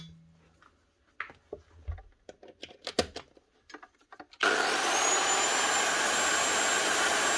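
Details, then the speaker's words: Old Black and Decker HD 1000 circular saw, made in England, after repair with new lead, cleaned sticky switch and new blade: after handling clatter, motor spins straight up to a steady high whine held evenly, running fine. "not a baller this might be old but it still works fine"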